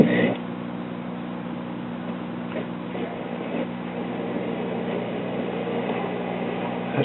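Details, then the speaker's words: 1962 Philharmonic tube console stereo, AM-only radio, on 1290 AM: a faint, hissy station under droning tones with audio oscillation and background squealing, caused by a defective section of the 3-section filter capacitor. "1290 coming in so weak you can't hardly hear it. It should be booming in."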